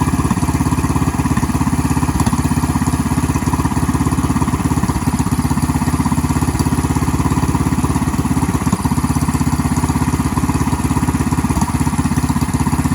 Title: Bt420x How does my idle sound to you? Does it need come down just a bit #minibike